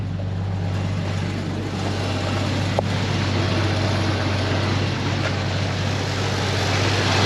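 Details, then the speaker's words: Hurricane-flooded Dodge Dakota 4x4 convertible started after rescue, fuel pump suspected weak: low, steady, even idle with no knocks or misses and some exhaust leak; gauge reads low but engine sounds good. "it's got some leaky exhaust yeah gug reads Low sounds good"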